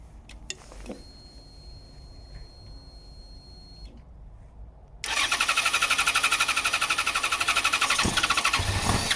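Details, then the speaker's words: 2014 Yamaha XJ6S Diversion, under 12k miles, stolen-recovered, airbox off with carb clips loose and pipes off: after a quiet spell it catches and runs with a steady fast beat; definitely a fuel supply problem, fuel pump to be tested, tank possibly held water. "yeah, this is definitely a fuel supply problem."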